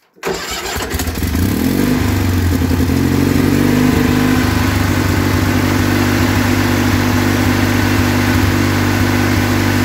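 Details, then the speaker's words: Kohler Magnum 20hp engine, after sitting neglected for a couple of years, started following new oil, air, oil and fuel filters, choke pulled, throttle up, muffler refitted: cranks briefly, catches fast, smooth even idle; normal start. "well that started pretty easy and sounds pretty awesome i was able to go and put the muffler back on it so it wasn't a straight pipe because that would have been loud it seems to run really nice"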